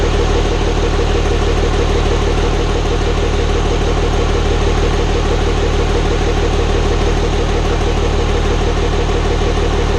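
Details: Hybrid 5.9/6.7 Cummins diesel swap, first start-up after the build. Steady, even idle, no misfire, with a light top-end tick near the front valve cover; builders suspect valve lash, not confirmed.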